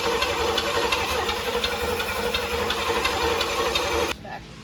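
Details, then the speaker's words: Never-run 350 small-block Chevy V8, built 25 years ago and stored in a barn: the starter cranks about three turns a second with no firing, then stops; the fuel pump failed, so no fuel, and it is being replaced with an electric pump. "So the fuel pump failed."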